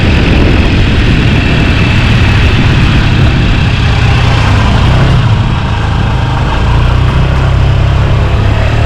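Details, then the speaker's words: Honda Scoopy (Metropolitan) 49cc scooter after full service, revived from non-running, on its first ride in about a decade; small single-cylinder engine with a steady, even low putter, no knocks or misses; normal running. "first ride in possibly a whole decade. Look at it go. What a little ripper. What a great little bike this is."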